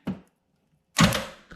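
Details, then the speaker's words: LS9 engine with Kong 2650 swap, new starter jumped at the starter relay socket: a single sharp solenoid click, no cranking, then silence. Engine won't turn over; a borescope later found cylinder 3 piston missing and a hole in the block. "that click should be kicking the motor over"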